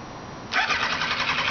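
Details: 2002 Kawasaki Ninja ZX-9R motorcycle that won't start: fast even starter whir keeps spinning but engine never catches; cranks without firing.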